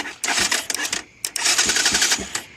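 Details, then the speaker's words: 200cc Chinese dirt bike after electric start fix at solenoid/switch wiring: two quick bursts of high whirring crank, about a second each; starter spinning freely and working normally. "It's working, y'all. That's awesome."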